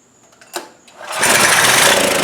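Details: Trailmaster go-kart, Chinese Honda-clone single-cylinder, sat over a year; catches after pull and buzzes fast and rough while choke held closed, dies when choke released; carburetor still not right.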